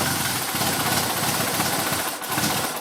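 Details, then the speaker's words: Renault Twingo inertia fuel-pump cut-off switch tripped to simulate a crash: pump power cut, engine runs ragged, sags and stalls as fuel stops arriving; this tripped switch was apparently the no-start cause. "voilà cette coupe là pompe à essence est à plus rien qui arrive et du calme voilà ce qui se passe"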